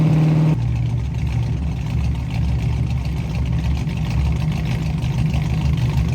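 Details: 1967 Ford Mustang V8 running again after new fuel sending unit, fuel lines blown clear and carburetor needle-and-seat fuel supply fix: deep, steady idle burble, even beat, no stumbling or ticking; healthy normal idle.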